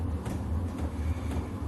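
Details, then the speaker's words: VEVOR 8 kW diesel air heater after priming and start-up: even low continuous roar with soft fan air rush, no pulsing or sputter; burner running normally. "pumping the heat through the burn is roaring"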